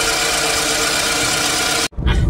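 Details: Toyota ACV30 idling after new Denso spark plugs were fitted to fix a stumble at very high revs: engine holds a steady, even note with no stumble or misfire for nearly two seconds before a brief cut; running normally.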